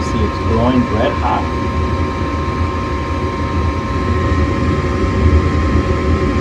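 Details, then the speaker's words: Furnace test after suspected igniter fault (blower ran then shut off without heating): click, igniter, gas valve click, burners light, then steady low air rumble and constant hum with no rattles or scraping; normal furnace operation. "hot then we're going to hit another click turning the gas on pretty soon there you go there's that click open the gas out and we got fire and the rest just blow the air there"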